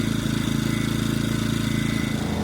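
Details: Ecoflow dual-fuel generator on propane with regulator adjusted to smooth spot: single-cylinder engine drones steadily, firing evenly with no popping or hunting.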